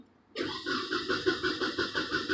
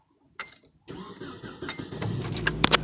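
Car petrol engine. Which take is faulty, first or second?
first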